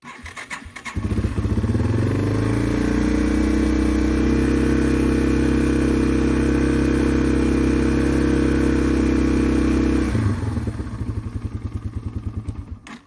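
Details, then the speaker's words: Yamaha TW200 motorcycle restarting after a trick for hard starting: it catches after a second, settles into an even, steady idle for about eight seconds, then shuts off and coasts down cleanly; a normal start and idle. "but here just to show you guys that it will fire right back up after doing the trick"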